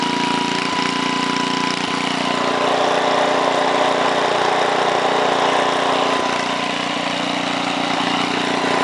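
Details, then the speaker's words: 1968 Briggs & Stratton 7 hp 275cc horizontal single-cylinder (model 170402), no load at 3/4 throttle: steady, even bark at fast speed with no hunting or missed beats; normal part-throttle running. "so I'm gonna start it up one more time it's at 3/4 now"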